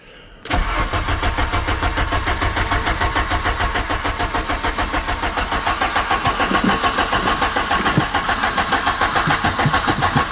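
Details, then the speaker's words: 1997 Volkswagen Vento 1.8 automatic, abandoned car, trying a borrowed 2.0 Golf ignition coil: starter turns engine steadily about three and a half beats a second for ten seconds, never catches; coil ruled out, distributor cap next suspect. "No, it's not the coil. [ __ ] hell. So, it's not the coil."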